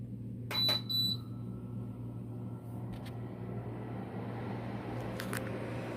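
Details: Induction motor fan after glue repair of the fan blade and refitting the base plate, first test run: a couple of beeps at switch-on, then a steady low even hum with no knocking or rubbing; fan runs smoothly.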